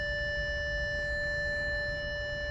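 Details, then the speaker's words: 2012 Audi A6 3.0T (C7): after replacing the low-pressure fuel pump for an engine warning code, ignition on without starting; steady high-pitched hum holding one note as the new pump primes and pressurizes normally. "so what I'm gonna do is uh not gonna start the car just turn it on so I can hear the pump run"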